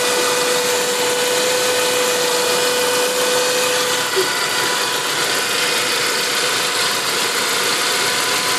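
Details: Saab 9-5 at idle, engine not fully cold (about 30 °C), running E85, turbo about 10,000 km old: even idle with hissy top end and a thin steady whistle that drops out after about four seconds; source unknown.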